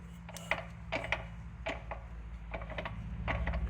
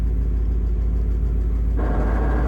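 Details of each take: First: Replacement manual transmission on the bench, shaft rolled by hand in gear; soft gear-mesh ticking with zero play and no knock, quiet and tight, unlike the removed unit's bearing groan and shaft play. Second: Manual gearbox on the TRKYCHT car, owner suspects bad input shaft bearing: idle rumble gains gritty whirring once clutch is released in neutral, tested clutch in/out before removal; removed unit later shows bearing groaning.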